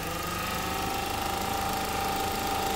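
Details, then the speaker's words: Ford Fiesta engine idling steadily and evenly with no knocks or misses, faint constant whine over it; engine fine, the actual fault is a radiator fan that won't work, motor worn, resistor involved. "Pero ibig sabihin mga guys, yung makina po, wala pang problema. Parang, yan, umandara naman."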